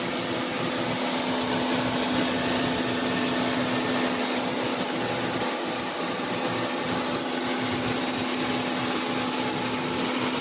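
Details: Continuous rough whirring grind with faint steady hum while driving a Genesis, suspected differential grinding noise; source unconfirmed.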